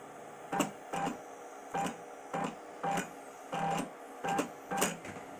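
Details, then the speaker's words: DIY CNC EDM machine's first sparks, cutting a grade 8 bolt; irregular crackling bursts about every half second with quiet gaps as the arc keeps dropping out and won't stabilize; difficulty keeping up with the arc, z height needs to drop faster; unstable arc. "well as you can hear I'm trying to get a stable arc and it's not happening um I've been going at it for a little while now"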